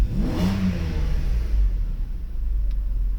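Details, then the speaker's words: Mercedes 600 SEL V12 with EGAS throttle computer, cold engine just restarted, loud air pump: a quick rev blip settles into a smooth even idle with a steady low hum. Both throttles work; normal revving. "And of course the vehicle itself, as you look at the temperature, is still not warm, so it's pretty cold, but it runs pretty well. Both throttles work just fine."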